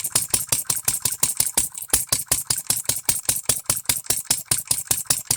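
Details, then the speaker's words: Economy hit-and-miss engine with newly made piston and re-ringed after no compression: sharp crackling bangs about five a second, uneven rhythm, running rough; owner thinks timing is too far advanced, still needs much tweaking, best it has ever run. "I'm gonna let it run I'm Gonna Keep tweaking on it this is the best I've ever seen this thing Run is it right not by a damn sight but is it running yes"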